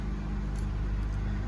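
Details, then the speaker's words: 2013 Honda Civic idling after spark plug replacement to fix a cylinder 1 misfire (P0301) and check engine light that made it shake: quiet, low, even idle with no stumbles or vibration; running smoothly. "All right, let's start the car and see what's going on. There you go, guys. No vibration. Everything is well."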